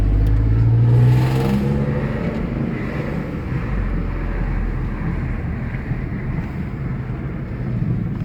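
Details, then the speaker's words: Alfa Romeo 156 3.0 V6 with newly fitted sports exhaust blips and settles into a steady deep, even rumble; healthy, expected to deepen over time. "sounds great he's just done it so it'll over time it'll it'll get deeper"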